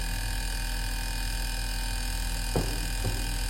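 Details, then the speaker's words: Inverter AC (Onida/Lloyd/Whirlpool) test after repairing courier-damaged PCB with broken ICs, outdoor fan motor also running: steady, even compressor hum at constant pitch, a few handling knocks near the end; compressor running normally. "आप compressor की आवाज सुन सकते हैं। हमारा compressor अभी चल रहा है, और हमारी बाहरी मोटर भी चल रही है।"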